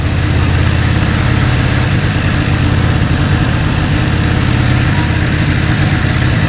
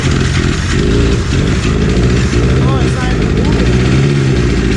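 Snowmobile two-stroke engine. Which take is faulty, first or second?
second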